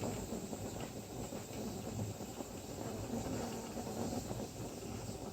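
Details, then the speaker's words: Pressure canner coming up to vent. A soft, steady steam hiss with faint bubbling and no sputter or surge, the stream becoming steady: normal venting. "and it's rattling steadily. So again, you can see it. There's a nice steady stream coming up. It's starting to get steady."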